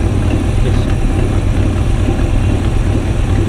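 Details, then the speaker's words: Long-stored classic car started on stale fuel with a little choke: loud, slightly uneven low idle with occasional sharp spitting puffs; suspected backfire or exhaust leak, not confirmed. "Something's spitting. It's a backfire though. It sounds like it's leaking on the exhaust gas."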